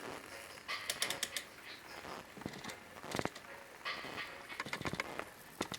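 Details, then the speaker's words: Kenwood KA-8004 solid-state stereo amplifier: irregular scratchy crackles and clicks as the bass control is turned; scratchy bass control, suspected dirty contacts on the back of the control, unconfirmed. "A bit of a noise on the bass one as well. Probably just the contacts on the back of there."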